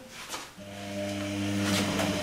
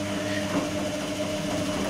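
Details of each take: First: Electrolux-Rex RWP 1273 TFW washer, 60° energetic wash with long rotations: smooth steady motor hum with faint light tick accompanying drum rotation, said not to be failing tub bearings; normal drum rotation. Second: Electrolux-Rex RWP 1273 TFW washing machine in a 60° wash, heated water; brushed Ceset drive motor gives a steady droning hum with a fixed tone, louder than usual (brush noise possibly amplified by recording) but no clear fault.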